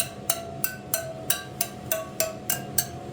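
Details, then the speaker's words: Kawasaki KX450F wheel spokes tapped, after a loose one was tightened: nine sharp taps about three per second ringing at the same clear pitch; spokes evenly tensioned. "it's kind of an old school trick and uh you they all should kind of chime the same and you can tell between those two right there yep see that one was loose now it's the same"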